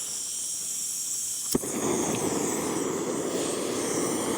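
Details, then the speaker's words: BRS 3000T unregulated canister stove at -5 degrees with 0 mph wind: steady hissing burner roar with an occasional pop and flutter; the flame sputters as it struggles in the cold. "This was the original control, and I could tell it's definitely struggling with the cold, but I could just hear the flame sputtering every so often because this thing does not have a regulator and we are in colder temperatures."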